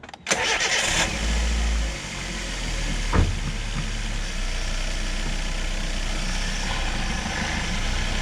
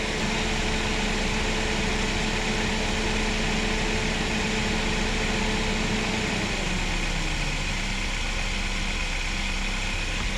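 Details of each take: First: Chevrolet Spark/Beat after replacing the cooling-fan resistor (GM 96656660): engine idles evenly with a steady fan rush, no chatter or dropout; the low-speed fan now engages and holds properly. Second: Chevrolet Spark/Beat radiator cooling fan, engine running: fan hums at high speed, then winds down and stops instead of dropping to low speed; resistor (GM 96656660) stays cold, so the low-speed resistor has failed.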